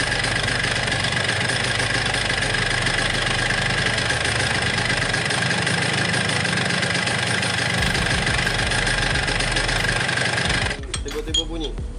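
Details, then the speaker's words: Yamaha RX King two-stroke that began knocking while riding fast: quick loose rattling knock; cause found at the magneto, a loose flywheel on its pin, not the piston. "Nah jadi inti penyakit motor Yamaha ini, Air King ini, ternyata itu cuma di magnet."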